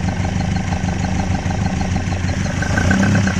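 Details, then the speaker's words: Cold Ford Escort Mk1 with new bottom end, thermostat not yet open: lumpy uneven idle with loud carburettor racket, suspected massive vacuum leak, unbalanced carbs and retarded cam, but no major rattling or knock from the bottom end. "But there's no major rattling noises coming from the bottom end. I mean, the carbs are making a racket, but she's a bit lumpy,"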